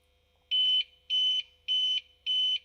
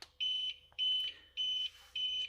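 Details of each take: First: Used APC Back-UPS 500 converted to 12-220 V inverter with external battery, restarted during an outage, green light blinking and showing On Battery: four even high beeps about a third of a second each, 0.6 s apart over quiet hum, on-battery self-test. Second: Used APC Back-UPS 500 converted to a 12 V to 220 V inverter with battery; short high-pitched beeps repeating, the warning that it is running on battery and should be shut down soon.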